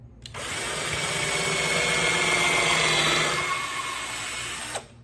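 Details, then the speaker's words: Cordless drill (not impact) pre-drilling holes in wood for a mortar rack: steady whir about four seconds, pitch sags slightly before stopping; low battery power loss, battery died and was replaced. "Holes pre-drilled, and I can sense my battery might be running a little bit low, so if it runs out while I'm in the middle of the recording, I do have a backup."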